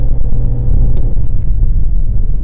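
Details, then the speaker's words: 2021 Toyota Prius Hybrid at 24,000 miles under full throttle: deep, uneven rumble builds as the petrol engine cuts in smoothly, powering the axle and charging the battery; normal operation. "mesinnya sudah menyala. Lihatlah panah-panah itu. Jadi dari sebelah kiri, mesin pembakaran internal bensin sedang beroperasi."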